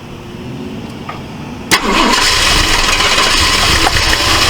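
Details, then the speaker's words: 1968 Ford LTD, abandoned, first start: busy idle with fast, fairly regular light clatter on top, about four a second, and popping back through the carburetor; valvetrain tick, owner suspects stuck valve, stuck lifter or bent pushrod, valve cover to come off. "something on this side over here is clicking so I'm going to pull this valve cover off and see we can see what's in there something either's got a stuck valve valve or it's got a stuck lifter"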